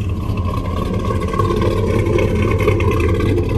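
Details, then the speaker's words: 6.0 V8 swapped Chevy truck on Holley Terminator X idling: deep uneven lumpy pulse; rough idle, very rich, needs idle tune, cleans up when revved. "you can hear it it's definitely a little rough on the idol it's very rich it needs some serious help on uh on the idle tune"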